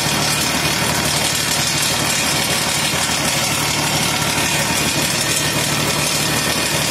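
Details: 1 HP electric motor on a homemade table saw, run through a homemade thermistor soft starter on household 1300 W mains: a steady, even whirring hiss at constant speed, with no surging or grinding. Normal running.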